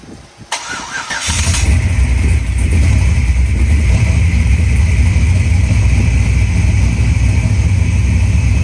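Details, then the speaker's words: Forged 5.3 LS V8, bored .020 over, with a turbo, stage 2 turbo cam, stock heads and Holley Terminator X EFI, on its first start. This is after tightening bolts to fix a small vacuum leak. It cranks briefly and settles to a steady, lumpy idle while warming up, a normal idle with no ticking or hissing. "all right there you go now it's idling we're going to let it idle for a little bit so it gets warmed up a little bit of temperature"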